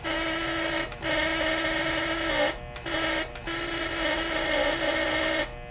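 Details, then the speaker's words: Lionel Postwar Santa Fe 2383 locomotive after rewiring and horn tuning via adjustment screw, raspy electric horn buzz in short blasts jumping between a lower and higher pitch; horn won't hold one consistent note. "I can't make it consistent, and it annoys me. It's either low pitch or that higher pitch, and I cannot get it to pick one."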